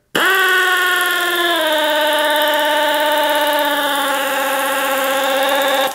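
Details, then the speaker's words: Air ratchet with severe loss of power and torque, running on shop air before cleaning: steady buzzing whine that sags in pitch and stays slow without picking up; airflow starved by debris clogging the inlet screen. "debris on that screen and that's what it sounds like"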